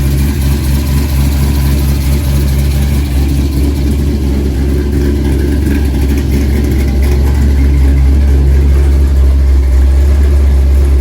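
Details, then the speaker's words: 1964 Chevy II Gasser, LS V8 swap with Holley Terminator X, first start; loud deep steady idle sitting fast and slowly easing lower toward the 800 rpm target as coolant temp rises, sounding better the longer it ran; high idle on cold engine. "So that graph's gonna look like, you know, as the coolant temp increases, it'll go down to your target. Oh, okay. But, you know. Well, it's sounding better the longer it ran beca"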